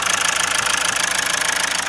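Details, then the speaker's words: Mazda with P0102 code, reassembled after camshaft issues and a helicoil repair, idling: quick sharp metallic tapping at an even rate over steady idle, some misfire, blow-back at oil filler cap; suspected bottom-end knock. "we can hear it nice it doesn't sound brilliant i also hear a little bit of a misfire coming out of it"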